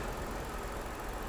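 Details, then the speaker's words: Copart vehicle with 229,000 miles, dirty engine and swollen battery, idling: steady, even low rumble with no knocks, ticks or misses over a constant drone; engine idles smoothly, running pretty good. "but otherwise it seems to be running pretty good usually"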